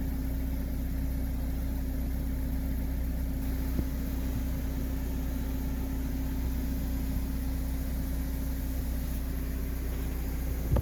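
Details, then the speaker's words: Toyota rear-wheel-drive car with drum brakes, after replacing a noisy rear wheel bearing: engine hums steadily while the rear wheel spins with no growl, rumble or grinding, confirming the new bearing is correctly installed and quiet. "H comprobamos que El balero fue correctamente instalado y que no provoca ningún ruido al"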